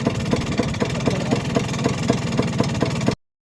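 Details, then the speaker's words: Vespa PX two-stroke scooter before restoration, engine reportedly fully rebuilt: idling with a light, regular top-end rattle ticking about four times a second. "He says he has all the engine rebuilt and everything, but he's got this. Top end rattle, can you hear it?"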